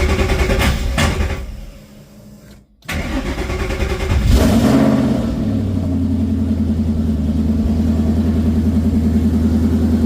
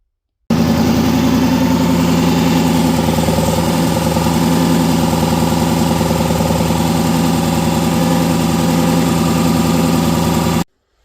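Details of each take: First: Coyote V8 swapped into a Ford Ranger with Mustang cams, freshly reassembled: brief cranking, then it catches and settles into a steady, even idle with no knocking at start-up; normal start and idle. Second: Coyote engine swap in a Ford Ranger, reassembled, good oil pressure, not yet warm, Mustang balancer replaced but noise remains. Steady idle with a rhythmic knock every few firings from the back of the engine; flywheel rubbing the separator plate.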